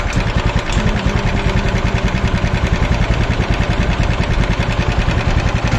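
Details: TVS Apache 200cc single-cylinder at idle and rev with old rocker: quick loose tapping about three per second over the engine; something inside clattering, abnormal engine noise, cause unconfirmed.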